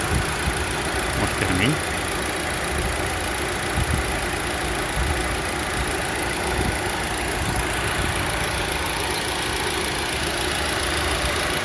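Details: Lada Vesta with H4M engine and CVT at smooth idle: thin, steady high whistle in the front accessory area near the alternator and timing chain; owner unsure of the cause and wonders if it is the belt.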